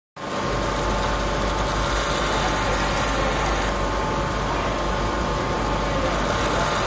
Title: CAVITATION & AERATION IN GEAR TYPE LUBE OIL PUMP